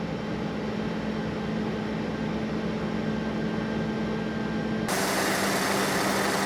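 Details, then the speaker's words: 36-year-old Toyota Land Cruiser 60 Series, first start after fitting a new power steering pump, possibly low on fuel, jacked up in the air. Fast, even idle at 1400 rpm with a steady hum and loud fuel pump; idle ramps down on its own before stalling. "it's running real quick I'm going to try and turn the wheels because I do have it up in the air [Music] it's ramping down the idle on its own right now"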